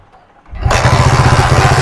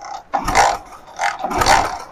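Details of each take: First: Hero Splendor iSmart 110 after fixing a no-start charging/current wiring problem and refitting the plug: quiet, then the single catches at once and settles into an even, quick thumping; normal clean start. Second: Hero Splendor iSmart bike with no ignition current: repeated kick strokes about once a second, each a mechanical churn, but the engine never catches; input current is present, so the CDI is suspected of not sending current out, no spark.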